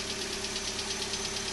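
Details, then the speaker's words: 2012 Hyundai Elantra at cold morning start-up idle, louder on passenger side: fast even light ticking over steady hum, lasting up to 5–10 minutes after initial start; cause not pinned down. "okay so this is the noise that it makes in the morning and it sometimes it does it as much as 5 or 10 minutes on initial startup"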